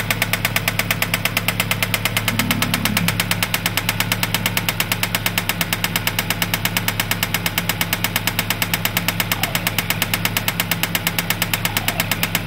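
A sharp, even knock about twice a second rides over the steady idle without letup, pointing to an internal engine knock of unknown cause.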